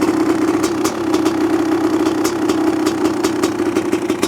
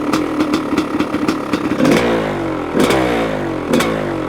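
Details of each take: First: 1985 Honda CR500 two-stroke engine in 2007 CRF450R chassis, after choke off with muffler fitted: steady even idle, crisp regular exhaust note, no misses; running healthy, slightly rich and smoky. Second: 1985 CR500 two-stroke engine in a 2007 CRF450R chassis with the muffler fitted, choke just turned off, cold windy day: big single crackles and blips, revs hanging with a soft burble; smoky and still running a bit rich.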